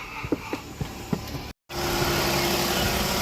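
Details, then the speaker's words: Vehicle with electro-hydraulic power steering after replacing a lost power steering line, first start: engine catches and settles into a steady quiet idle with a faint even hum, no pump whine, grinding or knocking; pump pulling fluid from reservoir, sounds normal. "Well, so far no weird sounds. Actually sounds nice and quiet."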